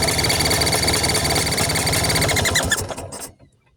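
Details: Vespa engine at idle: fast, even chirping ticks about four a second over the idle; air leak at a loose carburetor mount.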